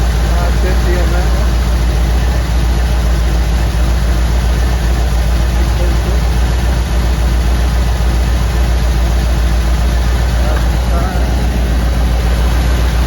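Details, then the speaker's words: 1959 Ford wagon V8: a lumpy idle that stumbles at regular intervals as one cylinder drops out. Cylinder misfire on number eight, suspected bad plug or plug wire. "here it is 150 number eight St fire all right got a bad plug or bad plug wire"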